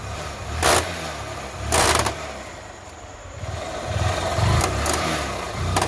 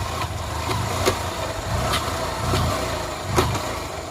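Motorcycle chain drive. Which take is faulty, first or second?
first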